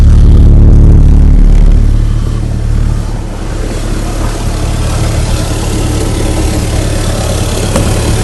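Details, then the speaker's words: 2004 Mitsubishi Lancer Ralliart with RRM Magnaflow axle-back exhaust idling loud and deep with a raspy, puffing note from a hole in the exhaust; a rag is used to locate the leak. "and I'm going to show you guys the hole in my exhaust I believe this is the MagnaFlow axle-back from RM"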